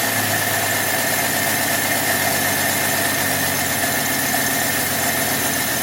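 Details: 1966 Dodge Dart 225 slant six after fixing the new Autolite-style single-barrel carburettor's fuel inlet plumbing: steady, even idle a touch slow, no knocks or stumbles; seems better than the old Holley 1920. Normal idle.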